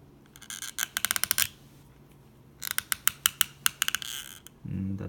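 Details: Recently bought Oakley Square sunglasses: one arm swings quietly, the other gives two runs of sharp, quick gritty clicks as it moves; debris possibly lodged inside the latch mechanism.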